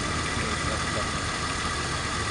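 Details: BMW E39 engine after valve cover gasket replacement, first start to check for oil leaks: steady, even idle hum with no misses, knocks or ticking over a loud hiss; healthy normal idle.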